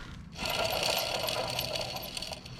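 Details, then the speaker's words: Alternator on a Pontiac Sunfire/Chevy Cavalier, hand-spun at unknown speed: a thin high squeal over a rough, gritty growl, suspected worn alternator bearing, not confirmed. "you hear that squeal and growl imagine that sucker at like 800 RPMs because I don't know how many rippings I just throw at it but it wasn't 800."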